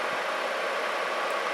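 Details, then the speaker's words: Atwood 7912-II 12,000 BTU 12 V RV propane heater after repair; gas off, blower running on after burner shuts off, owner thinks IC timer controls it: smooth steady whir, normal. "and in a minute this thing will cycle off i think it's got a little ic timer in there"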